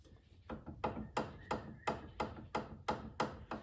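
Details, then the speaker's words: 2002 Chrysler PT Cruiser, front wheel off. Rocking the steering linkage by hand gives sharp metallic clicks and knocks, about three a second, from a worn inner tie rod; the outer tie rod has slight play. "As I move the inner tie rod, you can hear it clicking and knocking sound."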